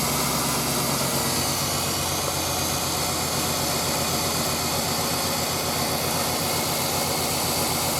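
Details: Suburban with TBI, after installing bored 46mm throttle body and fuel pressure gauge, hot day: steady idle under loud even intake hiss, no stumble or misfire; runs smoothly, no leaks.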